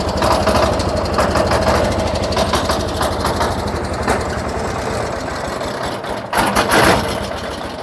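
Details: 1979 John Deere 210 garden tractor just started, still cold and smoking a little until warm: steady chugging idle with an even low thump and no knocks or rattles; runs really good.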